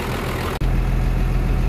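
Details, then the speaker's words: 1975 International with 12-valve Cummins swap, after replacing a bad VE pump and two injectors, belt cracking: steady, even low diesel idle with regular firing pulses, no misses or stumbles and no heavy smoke; normal idle. "let's fire it up she runs let's look at it all right so the new pump's in and the belt is cracking right now"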